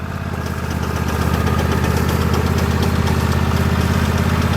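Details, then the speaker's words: 2016 Husqvarna LGT2654 lawn tractor at idle: a fast, steady rattle of about four taps a second from the drive belt area. It stops when the brake pedal is lightly pressed and returns on release, so the transmission is not at fault; exact cause unconfirmed. "there's the noise so as it turns out there's nothing wrong with the transmission because you can hear right now that as long as i'm barely touching the brake pedal you're not hearing any sound whatsoever but as soon as i let off there's the sound"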